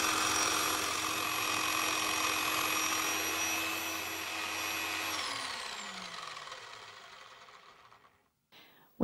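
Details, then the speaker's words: Nirey KE280 knife sharpener at stage 3 with the lightest down pressure, less than the weight of the knife: a light load on the motor. A steady, clean hum holds, then coasts smoothly down. The motor runs normally under light load. "Stage 2 requires a down pressure of 0.6 kilograms. This time the load on the motor is slight. You can hear the difference."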